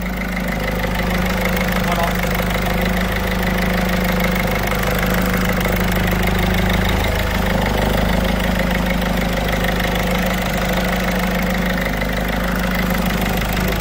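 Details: Peugeot 207 1.6 HDi diesel idling just after injector seal replacement: steady, even idle with a smooth clatter and no ticking or hissing; injectors sealed, normal idle, before a ten-minute warm-up road test.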